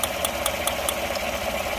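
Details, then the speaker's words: Engine idling with sharp even ticking about five per second, little misfire; arcing at number 1 coil because the plug wire was off the coil, fixed by reseating it. "But it sounds to me like an arcing noise, you know, like a coil. But it really doesn't have much of a misfire."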